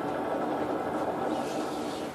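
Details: 30+ year old snowmobile tilt trailer wheel spun by hand, a gritty rasping rumble from dry worn bearings after a 100-mile tow on bias-ply tires; bearings due for repacking.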